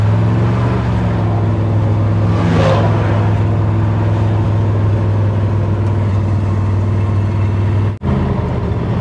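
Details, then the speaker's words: 1960 Chevrolet Impala V8, back on the road after sitting 25+ years, on a long drive home: steady low rumble with even beat, no misses or stumbles; running cleanly after a roadside fuel-filter issue. "hey it's back in business though I mean it wouldn't be running this long if it wasn't pulling"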